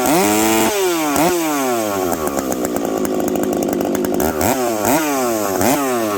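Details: Husqvarna 372XP chainsaw fitted with a new bolt-on UFO pipe, warmed up at about -30 to -40 °C, cutting frozen ash: screams up between cuts, slight burbling four-stroke in the wood; healthy, slightly rich tune, high jet already leaned a smidge.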